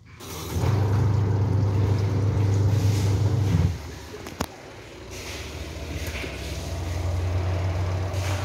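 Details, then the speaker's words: Sharp washing machine spin dryer after repair: brake was sticking because its expanded pull cord was re-tensioned; steady motor hum, brief stop with a click as the brake grips firmly, then smooth fast spin-up, now normal. "Nah teman-teman, ya, pengeringnya sudah berputar dengan normal teman-teman. Nah itu putarnya kenceng sekali dan remnya juga pakem sekali ya."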